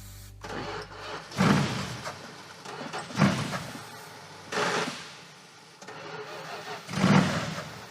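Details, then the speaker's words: Pro street car started on starting fluid: cranking with brief catches that fire and fade each time the key is released; ignition cuts out after crank because the ballast resistor was disconnected; reconnecting it fixed it. "Does sound like the ignition shuts off."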